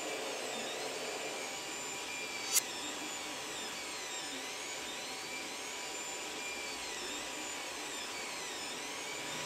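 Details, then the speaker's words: Creality CR-10 Mini 3D printer after replacing all three control box fans (one had a faulty bearing) with quieter ones: soft, even high whirr with sweeping motor tones; extruder fan and steppers now loudest, no rattle; fans healthy. "okay so after changing all the fans in the control box the control box itself is a lot quieter the thing that makes the most noise now is this fan on the extruder and of course the stepper motors when the machine is running"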